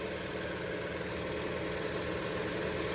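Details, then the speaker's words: 2003 Audi A3 2.0 petrol idling minutes after first start in 10 years, with only a new battery: smooth, even idle with no knocks, misses or ticks; auto choke just came off, warning light on. "Sounds pretty well, really."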